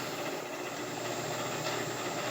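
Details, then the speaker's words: LeeJay 3-axis CNC mill with Anilam 3300MK control and AC variable-speed head drive, running a circle-mill program, light cut in mild steel at about 900 rpm: smooth, steady hum and hiss, no grinding, clunks or surging; servos sound healthy. "so as you can hear the servo sounded real good got a cutting at about 900 rpm it's real light"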